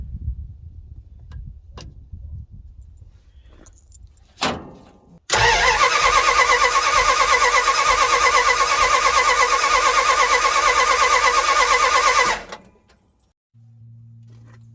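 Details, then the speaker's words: Small-block Mopar V8 in a Dodge D150 cranking with the distributor unplugged during a compression test; steady starter churn, even beat near three per second, all 8 cylinders within 5 psi of each other, compression balanced. "y'all, I went through and checked all 8 cylinders. They all seem to be within 5 psi of each other."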